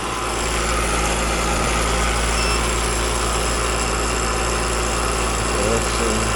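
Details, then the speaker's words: Home heat pump outdoor unit with Alliance scroll compressor: loud steady drone with rough, rattly, chattery hum and fan whoosh. Noisy scroll plate; the unit is found nearly empty of refrigerant, suspected leak. "That just sounds like the scroll plate. I've seen it happen a lot lately on these run-throughs with Alliance compressors, and just too much liquid getting back."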